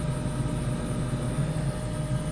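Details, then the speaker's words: King Pellet KP130 pellet stove at startup: steady, even combustion blower hum with the auger running, no rattles or grinding; blower and auger working normally, though the igniter is not heating yet. "all right we got combustion blower and augur I'll check the igniter no ignit her uhoh perhaps there's a purge cycle"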